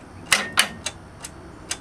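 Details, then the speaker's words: 1973 Bolens 1556 tractor, first start after storage, full choke, half throttle: only sharp, uneven clicks with no real cranking; suspected weak battery, owner goes to fetch a booster battery. "oh man just once I got to go get a booster battery how about that be right back"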